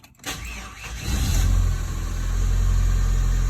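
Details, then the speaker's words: 1995-1999 Toyota Tercel just after starter replacement; the engine cranks at an unhurried pulse of about four beats a second before catching and settling to idle: slow-ish crank. "bit of a slow-ish crank. You know, it's definitely not lightning fast, but I'll go ahead and shut it off."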